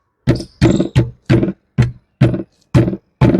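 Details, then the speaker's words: Royal Enfield Himalayan 450 accessory top box, shaken while empty: eight sharp clattering bursts about two a second. It rattles loudly when empty, and the noise roughly halves with luggage inside. "यह आवाज आती है जब आपका यह top box खाली होता है"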